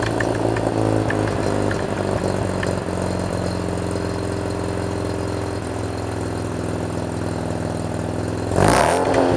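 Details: 1987 Mazda RX-7 rotary with a Pacesetter header, custom test pipe and Borla catback, after the exhaust leaks were fixed: it idles and revs cleanly with a steady, even buzz and no puffing or ticking. Much quieter inside the cabin.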